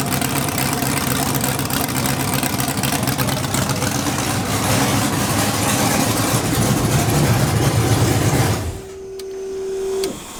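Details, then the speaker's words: Budget LS-swapped Mustang drag car, first start with open headers; loud, crisp V8 bark, steady and even for several seconds before shutdown; slight smoke, probably greasy fingers, minor trans fluid leak: normal running. "suck it science look at that sounded like a champ now we need a turbo kit she's smoking a little bit probably my greasy fingers that sounded really loud"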